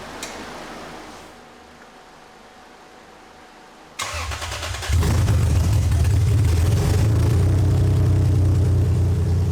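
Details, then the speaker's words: 2001 Lexus IS300 after clogged catalytic converters were replaced with an aftermarket header: cranks, catches and settles into a low idle with an uneven stumble, fuel popping out the header; misfire, possibly more than one cylinder. "Misfiring. Because if we use the tool, it'll tell you exactly what top of the cylinder on the manifold is actually running colder than the other."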